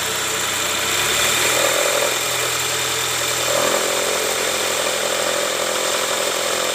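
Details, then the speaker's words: 2005 Toyota Camry 2AZ petrol engine at idle, before repair: a steady rough growl and whirr over an even idle with no knock. Diagnosed as the tensioner, which will be replaced during the oil-leak reseal of the timing cover and oil pan. "oke Guys jadi seperti itu bunyi ngoroknya itu udah kita analisa ternyata dari Tensioner nah ini kita mau sekalian ganti Tensioner karena kita bakal lepas juga tuh Tensioner untuk buka Kabupaten ini"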